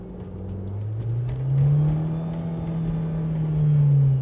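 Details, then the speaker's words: VW Mk4 Jetta 5-speed Tiptronic automatic on a road test after new solenoids and fluid: engine note flares twice without pulling as revs rise and sag, the transmission slipping out of gear right after the shift to second; still faulty. "oh no yep still an issue it uh just immediately slipped out of"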